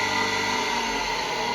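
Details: Single-phase motor connected to its working winding only, which would not start by itself and was spun by hand: a steady, even electric hum at a fixed tone with no knocking or grinding. It is running normally once spun up.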